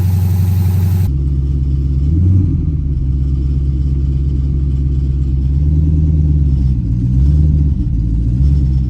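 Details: 2010 Dodge Charger, first startup after destroying a set of heads: engine catches and settles into a smooth, deep, even idle with a couple of light blips, no knocks or ticks; running normally.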